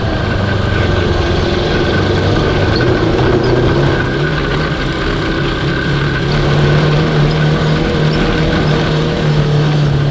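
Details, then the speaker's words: Cross kart with 750cc DOHC engine from a 1982 Honda CB750, rebuilt top end, old used spark plugs including a known fouled one fitted: at low revs under way, uneven chugging stumbling beats; low-speed misfire, plugs suspected. "all right i guess this is where i'm parking so it's running like total dog dude yep for sure"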